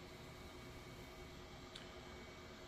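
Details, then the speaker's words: Newly built PC, ASUS ROG STRIX X670E-I with AMD Ryzen 9 9900X and Noctua cooler, first power-on; steady airy whoosh of fans spinning fast, no rhythm or rattle, quieting soon after; normal fan noise at full speed on startup. "fans are noisy I hope that's just because it's starting up cuz they're spinning pretty fast things are lighting up"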